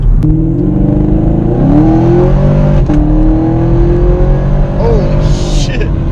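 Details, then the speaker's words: 2017 Camaro SS with newly installed ProCharger and intercooler, test drive at 65 mph: engine note and a slight whistle climb together as it pulls, with whooshing from the bypass/surge valve; normal supercharger whine. "normal driving here at 65. really don't hear that much like a slight slight whistle"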